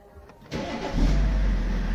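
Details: BMW E65 after immobiliser (IMMO) disabled: a brief crank, then the engine catches within a second and settles into a steady, deep idle; clean healthy start.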